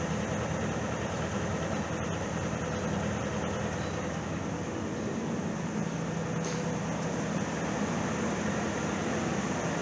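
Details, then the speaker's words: Truck with 268,384 miles, unused since 2012, owner called the engine junk and said it sounded like a butter churn; first start on fresh fuel. A smooth, even idle with a low rumble and no knocking or tapping. Normal idle. "he said this engine sounded like a butter churn don't sound bad to me"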